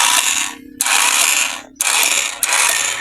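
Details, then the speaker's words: Motorcycle with new, strong battery, key start attempt; short raspy whirring bursts each ending in a sharp click, only clicking, engine not cranking; starter relay wiring to be checked. "Hanggang lagitik lang. Okay naman ang battery, malakas naman."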